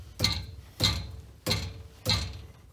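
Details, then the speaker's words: 2009 Ford F250 after engine rebuild, exhaust pipe struck by hand: four sharp taps each followed by a tinny metallic rattle from a loose exhaust bracket, which stops when held; to be tightened or removed. "so i'm hitting the exhaust and there's actually a little bracket right here that's loose when i put my fingers on it it stops rattling"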